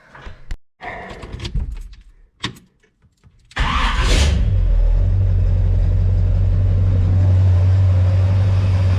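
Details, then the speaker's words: Chevy 350 small-block V8 with a mini starter, after shimming the starter to chase a shrieking noise and while chasing overheating: a few clicks, then fires into a steady, deep, even idle with no starter shriek; normal start. "starter motor sounds good didn't fix all my problems but um I didn't hear it do the kind of shriek kind of thing either which is one little problem solved"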